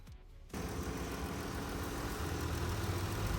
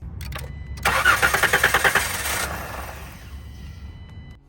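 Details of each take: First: 2017 Dodge Caravan after replacing the cylinder 4 fuel injector and ignition coil for a P0204 misfire: settles into a steady, even low rumble with no stumble, no engine lights; normal idle. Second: 2017 Dodge Caravan with code P0204, a cylinder 4 injector misfire: with both fuel fuses pulled to flush fuel before removing the fuel rail, the starter spins it in a fast, even rhythm but it never catches.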